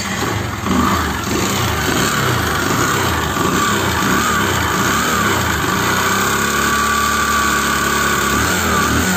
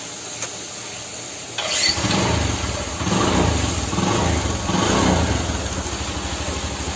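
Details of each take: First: Bajaj Discover single-cylinder engine with white smoke and oil burning: runs rough with a dull, rapid knocking clatter; teardown found a seized, scored piston, crank fine, half-engine rebuild; piston slap from scored piston. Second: Bajaj Discover motorcycle after half-engine rebuild with piston, rings, valves, timing chain and clutch plates fitted, fixing white smoke, oil burning and piston knock: cranks and catches quickly, even single-cylinder idle with throttle blips, no knocking.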